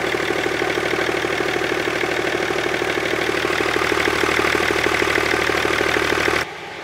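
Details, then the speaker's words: BMW E39 525d diesel fitted with 530d bi-turbo M57 cylinder head cover and injectors, first restart after reassembly: steady even diesel clatter at idle, no misses or knocks, then clean shut-off; it runs. "bon déjà ça tourne"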